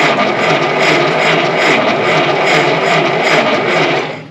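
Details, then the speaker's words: 1952 Willys pickup, off the road since 1991, new fuel line, cranked on its slow 6-volt system: steady cranking churns on without a single catch; one cylinder showed three psi compression. "that's got good compression i don't know why this thing doesn't run"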